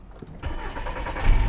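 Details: 2000 Volkswagen Jetta with intermittent stalling and no-start, started with crank sensor and scope connected; now showing the crank sensor signal missing before: short crank, then catches and settles into a steady low idle within a second, starts cleanly.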